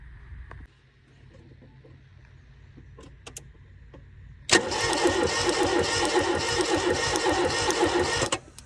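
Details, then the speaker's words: Toyota Corolla AE82 4A-GE barn find, cranking: starter spins at an even, brisk rhythm for about four seconds, ignition sparking but engine never catches; cranks without starting. "You can hear it trying to spark, which is good. Sparking its face off."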